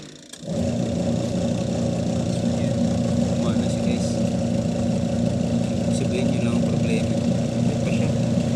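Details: Panasonic 5.2 kg single-tub washing machine, after repair of cut power cord/plug and missing capacitor, first test run: steady, even motor hum with low churning drone, no knocks or grinding; wash motor runs normally.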